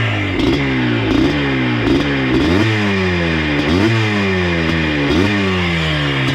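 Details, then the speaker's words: Yamaha Blaster 200 two-stroke ATV revived from abandonment, fresh gas: steady idle with light throttle blips picking up and settling cleanly; normal idle. "I put fresh gas in too, by the way. Idles like a champ."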